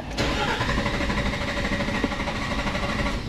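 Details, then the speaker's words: Nissan Xterra with code P0336 crankshaft position sensor: steady cranking drone that never catches into idle; crank no start from crank sensor fault. "Crank No Start Nissan, Can we get it to Start?"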